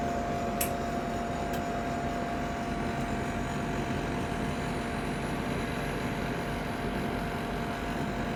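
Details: Ninja Foodi 8-in-1 cooker running cold, though the owner says the unbearable noise comes after it warms up: constant loud whooshing drone with a thin steady whine that never changes; noisy running, cause unknown.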